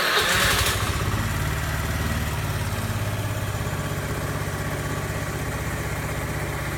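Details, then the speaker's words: Honda Lead scooter, first cold start of the day, checking for an occasional snap/crack at startup: brief starter whirr, engine catches into even idle with no snap or crack; clean start this time. "aí me fez barulho nenhum"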